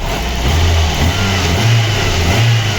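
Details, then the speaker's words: VAZ 2115 1.5 injector engine, brought in for suspected camshaft knock, revving after new plug wires, spark plugs and coil: clean even blips, no knock or stumble; head and pistons fine, injectors likely dirty. "Моторчик бомба."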